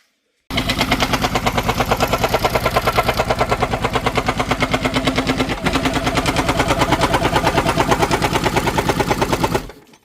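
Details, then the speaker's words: Engine, after spraying starting fluid while running: heavy, regular deep clunks about three per second throughout; owner suspects tiny big-end roller bearings on the crankshaft lost oil and bound up. "we spraying starty bastard in it while it was running and all of a sudden it started making horrible noises and then um then it would start by itself like it normally would but it was clunking shows here"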